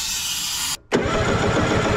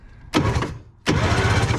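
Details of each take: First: 1970s Wetco Wetbike two-stroke that sat about 25 years, after blowing out intake corrosion: the starter churns at roughly four pulses a second with no firing, a crank-no-start with no spark. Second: 1970s Wetco Wetbike that sat about 25 years: two short cranking bursts spin quickly and evenly without dragging; normal starter cranking.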